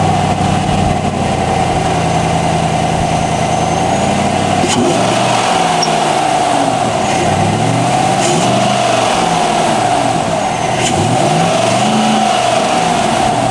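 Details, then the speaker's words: 2019-2026 Chevy Silverado just after installing a North American Performance cold air intake: smooth steady idle with a few clean throttle blips, crisp intake rush rising with revs, no knocks or ticks; normal idle and revs. "So we'll clean up and then we'll set up the camera so you can hear it actually pulling air in, and we'll see how it works."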